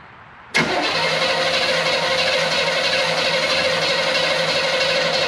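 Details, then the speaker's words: Chevelle started after installing new transmission, about 1.5 to 2.5 gallons fluid added: catches instantly on first crank, settles into steady, even idle with no knocks or odd noises; engine sounds healthy, normal start and idle. "But other than that, the engine sounds great. Not hearing any kind of weird noises. Things are looking good."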